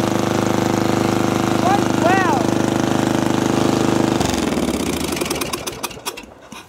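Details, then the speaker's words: Custom riding mower/go-kart with a new exhaust and no muffler, on a cold day: harsh, sharp barking with rapid even pulses at full volume, then it shuts off and winds down; running on an open pipe. "that's loud that's really loud wonder how it sounds and backfires that might hurt your ears"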